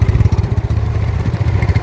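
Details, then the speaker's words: 2012 Yamaha Mio S scooter, old bike; idle not smooth, surging in uneven throbbing "nguk nguk" pulses, speaker refers to the belt, cause not pinned down: uneven pulsing idle. "untuk Pan beltnya sama motor lama enggak bisa halus bunyi nguk nguk nguk nguk ini"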